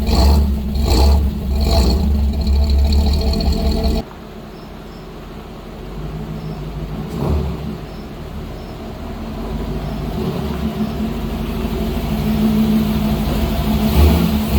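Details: 1955 GMC 100 with freshly rebuilt 327 small-block V8, first run on a fresh battery: loud steady running settling into a quieter even idle, no knocks or ticks; normal running after engine rebuild.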